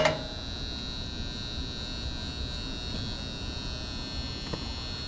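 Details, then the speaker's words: Gas furnace that works only intermittently, running: constant loud steady mains buzz in cabinet; tech suspects transformer or the 240 V relay feeding 24 V to the ECM blower motor; unconfirmed. "All right, that sounds, if that's a transformer, that's loud."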